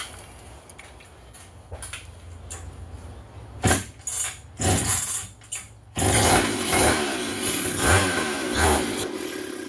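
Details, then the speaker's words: Vintage Stihl 031AV chainsaw with rebuilt Walbro carburetor, first start after priming fuel into the carb throat: several rough pulls with short bursts, then it catches at about six seconds and keeps running with a rising buzz; normal running after start. "oh yeah she wants to run she sounds good pull primer a little more sometimes it takes a while for these things to pick up"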